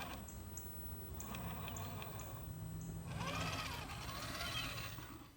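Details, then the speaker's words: RC truck with Hobbywing 1080 brushed ESC at 16K PWM and Holmes 12T Trailmaster Sport motor, run outdoors: motor now quiet, revealing a faint light tick about four times a second; owner suspects a ding in the spur gear. "You could hear everything in the truck, and it sounded like there's a little bit of a ding in my spur gear or something, but anyway, I'll figure t"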